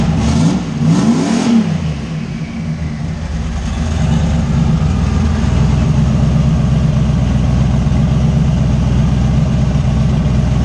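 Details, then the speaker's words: Fox-body Mustang with a 358 Windsor V8 and 80 mm turbo, after the missing ground wires that caused a no-start were fixed. A couple of throttle blips, then a smooth, steady idle with an even beat. Normal idle. "yeah beast is running and starting"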